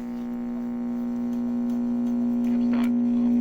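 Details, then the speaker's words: 1945 RCA Victor Model 56X3 series-filament tube radio, original and unrestored, brought up slowly on a variac to about 75 volts; a loud constant low buzz with a station faint behind it, blamed on failed electrolytic filter capacitors. "so that's bad um the electrolytic capacitors uh but i can hear a station behind it so in a way that's kind of good news"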